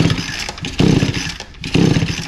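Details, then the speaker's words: Echo SRM 225 line trimmer with recoil starter refitted during repair: three quick rasping test pulls turn the small two-stroke freely and evenly, no binding or scraping; normal recoil start pull. "yeah that sounds good"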